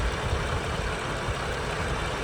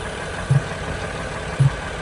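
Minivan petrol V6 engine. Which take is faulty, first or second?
second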